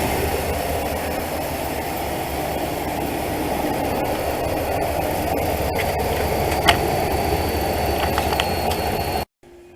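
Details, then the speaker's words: 2012 Dodge Ram 1500, 5.7 Hemi, cold start after repairing broken exhaust manifold-to-head bolts (the Hemi tick). Smooth, even V8 rumble with no ticking or puffing on the formerly loud side. Normal cold idle. "Alright, she's fired up cold. No noises over here. This side was a real loud side last time, nothing over here."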